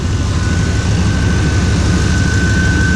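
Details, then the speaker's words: 1995 Chevrolet Suburban K2500, 5.7 TBI engine running: steady high-pitched whistle over even low engine rumble; owner suspects intake whistle, source unconfirmed. "It's whistling. I think it's gonna explode. I don't know what the hell it is. Sounds like maybe intake. My intake whistle."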